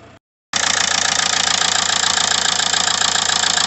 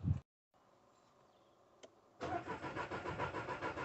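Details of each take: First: After the connection was wire-brushed and reassembled: steady, even diesel clatter at about 3–4 beats a second. Healthy idle, fault sorted. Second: Skoda Fabia 1.2 petrol, crank no start: starter turns over evenly at roughly three beats a second without firing. Fuel pump works but no fuel at the rail.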